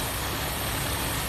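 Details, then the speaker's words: 1983 Dodge B100 van, carbureted V8, idling after new Remflex exhaust manifold and flange gaskets; the manifolds had cracked from heat. Steady idle with a soft intake hiss and no exhaust-leak ticking at the manifold. "rimflex amazing company I mean you can hear there's not a single exhaust leak all you hear is air sucking in now um it's really smooth now"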